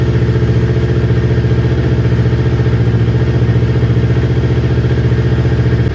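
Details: Newly built Kawasaki Ninja twin that bogged and stalled when warm, after ignition coil pack replacement: deep, even idle, no misses, idle now consistent past the usual warm-up problem temperature; both cylinders measured equal at about 258 °C.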